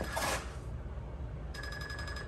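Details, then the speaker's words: 2022 Icebear Maddog Gen V scooter after converting from vacuum to a Rolling Wrench electric fuel pump. Quick, even high chirps at switch-on over a low hum: normal pump priming, fuel flowing. "rolling wrench they got this dialed in to where they think it's pretty good and then on the videos it makes like this chirping noise when you turn it on"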